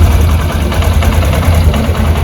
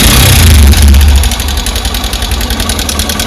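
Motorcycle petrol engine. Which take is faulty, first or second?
second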